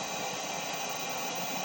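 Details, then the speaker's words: Pole Position II arcade machine on a modified board, first power-up after purchase: a constant loud hiss covers the game audio, alongside an explosion sound and odd noises; a sound-output fault, while the game itself works. "We got a little bit of a vertical issue, so let me get we have a sound issue up top. The sound is very strange, but we have a very working pole position too."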